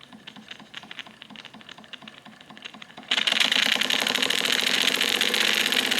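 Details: Wilesco D455 tabletop stationary steam engine, at temperature, throttle opened to max RPM after purging condensed water: quiet ticking, then loud fast hissing chuffs with rapid even beats. It throws oil from its total-loss lubrication. Normal high-speed running.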